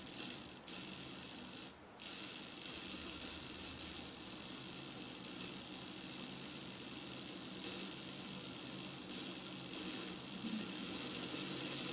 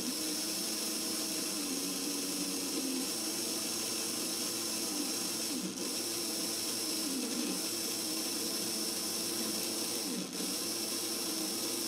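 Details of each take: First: Older Hornby model locomotive motor being serviced, run at slow speed: faint high buzzy whirr with uneven rattle and brief dropouts; jerky running caused by a loose lead contact. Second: Older Hornby model train motor after servicing of commutator and brushes; smooth, steady high whir at even pitch with no catching or rattle; brief jerkiness earlier came from loose test leads; motor runs cleanly.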